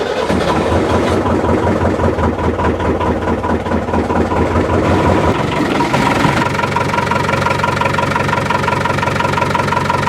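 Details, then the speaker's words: Boat diesel engine after bleeding the fuel line and injectors, following an overheat caused by a failed impeller: steady, even beat with no misses, and pitch rises cleanly with throttle (normally runs around 5,000–6,000 RPM). Normal running. "yeah is in that one it sounds like that it's pretty smooth actually when you had the throttle on"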